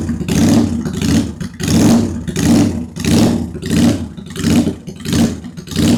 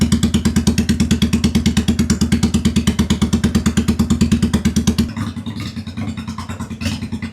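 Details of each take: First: Idle and revving of a 2001 Honda Shadow VT750 V-twin after carb rework, airbox off: even crisp blips about 1.5 per second, no misfire, both cylinders firing; one cylinder seems to run richer, front or rear unsure. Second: 2001 Honda Shadow VT750 first start after an oil change: lumpy, stumbling thumping with the rear cylinder smoking and hard restarts. Carb dumping fuel into the cylinder is suspected, not confirmed.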